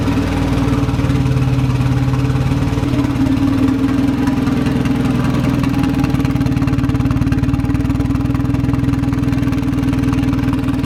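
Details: VW Golf Mk1 4Motion AWD turbo project, engine running again: loud steady idle with fast sharp puffing tick on each firing pulse; owner sees exhaust leak at manifold-to-turbo gasket, suspects a loose bolt there, not confirmed.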